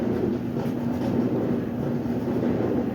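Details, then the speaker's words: Clothes dryer running a cycle before repair: a low, continuous rumble with an uneven grinding undertone and loose thumps as the drum turns. Something in the drum drive is worn. "so far is that noise does not sound good is your dyver making that noise that grinding noise"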